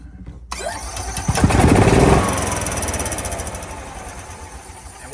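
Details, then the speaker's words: EZGO golf cart with Kawasaki SJ400 engine (magneto coil) and battery cables reversed, negative on the solenoid hot wire: it fires and revs, then after the throttle closes keeps chugging unevenly and fades slowly, dieseling because the ignition kill fails. "If you'll listen to it, when you let go of the gas, it's trying to run like it's dieseling."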